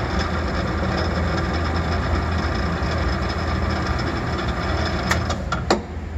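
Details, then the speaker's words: Rebuilt 500H Sigma blade mixer with refinished blades and all new electrical, running: steady, even low hum, no knocking, grinding or squeal, a couple of light clicks near the end; runs quietly and healthy. "All pretty quiet, isn't it? Very nice."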